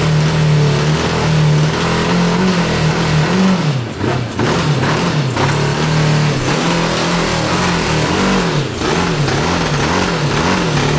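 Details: 1982 Honda CB750 DOHC engine in a cross kart, cold and a little low on fuel: surges and stumbles, revs sagging near stall unless held open; running better but still won't settle to idle.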